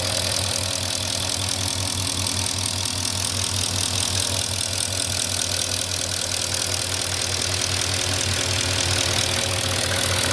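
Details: 2004 Porsche Cayenne S 4.5 V8 with about 50k miles, about 3 minutes after a cold start. Steady idle with a quick, even metallic ticking three to four times a second. Owner believes it is normal, not scored cylinders or piston slap; cause unclear.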